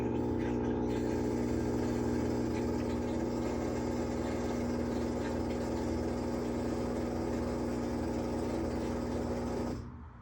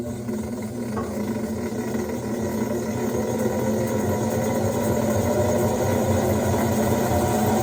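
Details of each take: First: Whirlpool top-load washer trying to spin: steady motor hum with light repeating whir, basket never picks up speed; tub hub suspected as not engaging, to be replaced after removing wash plate. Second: Whirlpool top-load washer after replacing the tub hub and wash plate, fixing a no-spin, no-wash fault with a weird noise: even swishing motor drone that builds and holds steady, no grinding or clunking; agitating normally.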